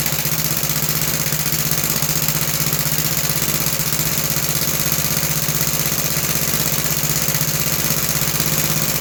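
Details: About 66-year-old 1960s English Suffolk single-cylinder engine after carb clean and new plug wire: even beat about four firings a second, no misses or stumbles; running healthy and steady.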